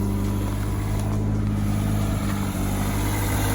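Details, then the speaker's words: 2018 Toyota 86 being rebuilt after a wreck, started on a jump box with no intake and no radiator fitted. Steady low drone with a slightly uneven, wavering idle. Rough idle attributed to the missing intake. "all right guys so we got the car started it seems to have a rough bottle because there's no intake on it but i mean it runs for now"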